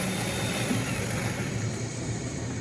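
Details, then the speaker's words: Power wheels ride-on Mercedes toy car, gearbox driven by its motor plugged directly into the battery after reassembly: steady even motor hum with smooth gear whir, no knocks or grinding; gearbox turns freely, normal running (car won't run via wiring). "all right so gotta plug motor back into the battery and see if we can get this gearbox to move"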